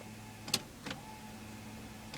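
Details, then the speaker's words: Toyota MR2 3S-GTE, clutch fully in, key turned: only a few sharp clicks, no starter cranking, no firing; recurring no-start/idle issue where it previously idled briefly then died; owner wonders if a half-finished JDM cluster wiring is involved. "I don't know if that's part of it the didn't key just won't start the car clutch all the way"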